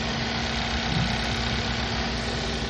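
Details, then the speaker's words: Car idling after misfire repair: even steady hum, no stumble or shake; live data shows no misfires, earlier rough vibration gone. "And before, earlier, the car had rough engine vibration, but now it's stopping."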